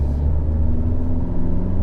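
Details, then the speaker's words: Fiat 124 Spider 1.4 MultiAir turbo at idle with a low rumble and an uneven, stumbling beat, misfiring on cylinder 4. The owner suspects the camshaft failure known on these engines. Misfire. "Yep, misfiring again. All right, I might not go too crazy then, because I can already see that it's misfiring at idle."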